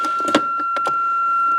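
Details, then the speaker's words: Range Rover, ignition on, foot on brake, shifter in neutral after swapping a wire: steady high electronic tone under a few clicks and knocks, sounding in neutral and off in gear; neutral warning buzzer working. "now the Sounder comes on when it's in neutral and off when it's in gear so that works pretty much as it should do"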